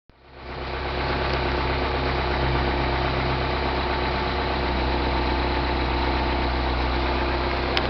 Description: 09 MINI Cooper S. Timing chain rattle on cold start. AKA, the death rattle.